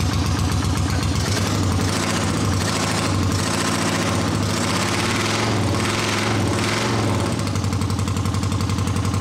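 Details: A 1979 Honda CX500 twin cafe-racer project, powered from a small Milwaukee tool battery, has a lumpy, lopsided idle with heavy uneven chuffing and dropped firing pulses. It is running on one cylinder.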